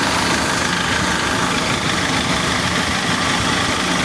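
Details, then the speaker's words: Dodge Caliber, thought to be 2012, idling with A/C compressor running, heard from underneath: loud uneven metallic clatter about three beats a second; timing chain rattle, chain, tensor, guide and cam phasers to be checked. "vamos a meternos abajo mejor mire como suena el sonido de cadena eso fuerte"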